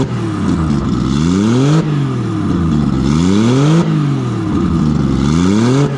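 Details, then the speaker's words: Nissan RB20 after fixing no compression in cylinder 5, caused by a lifter letting the intake valve sit low. Loud open exhaust through three even rev sweeps, smooth and steady on all six cylinders with no misfire. Normal idle and revving. "Well, I probably should have uh had ear muffs on then cuz man, that's loud. But uh yeah, as you can see, she's on six cylinders and uh far out."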